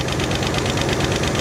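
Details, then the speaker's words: 1968 Chevy Caprice V8 that sat about 20 years, idling while warming up with valve covers off and slinging oil. A quick, steady metallic tapping comes from one rocker not opening its valve properly, not number six; it is to be adjusted. "I hear one of them tapping really, really good. Can you hear it?"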